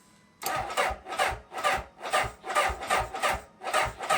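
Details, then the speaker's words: Honda CB750K on ethanol-free fuel, key on run: starter drags the engine over slowly, about two and a half labored compression beats a second, without catching; slow cranking and hard starting. "And here we go. I mean, that's slow to me. That is slow."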